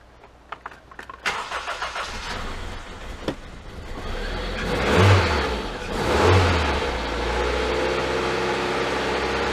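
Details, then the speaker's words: 2000 Honda CR-V with a swapped-in 79k-mile engine from a 2001 CR-V: cranks and starts, then keeps needing throttle blips because it won't settle at idle; the idle problem remains unresolved. "let us just take a listen real quick uh let's see if this thing's gonna do yeah we're still gonna have a little idle problem i can see"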